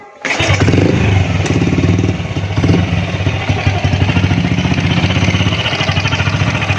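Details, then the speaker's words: Honda Astrea Grand motorcycle: at idle a rapid chattering pulse with a thin crying "nik nik" whine from inside the alternator (magnet) cover; after opening the cover, the noise was gone. "Suaranya kayak orang nangis ya, nik nik nik nik gitu ya, seperti orang nangis ya bro."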